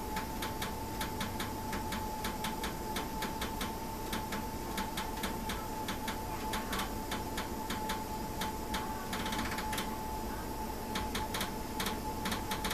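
A steady light tick, a few per second, runs over a constant faint hum; an abnormal tick from the new system, cause unknown.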